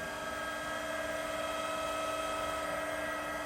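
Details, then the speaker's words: Seiki (Taiwan) WH-430X1000G precision tool room lathe, spindle at maximum 2000 rpm: smooth steady high-pitched hum, no knocking, grinding or rattle; described as completely silent, machine in excellent working condition. "As you can hear, there is no noise at all. Even at its high RPM also, it is completely silent."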